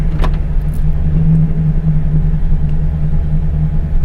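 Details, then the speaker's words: LS V8 truck after cam swap, idling in Drive after torque-management timing retard was disabled, holding about ±50 rpm. Smooth, low, steady rumble with no hunting or misses: normal idle in Drive. "you know it's sitting here in Drive idling it's maintaining that plus or minus fifty rpm pretty much so pretty happy with it"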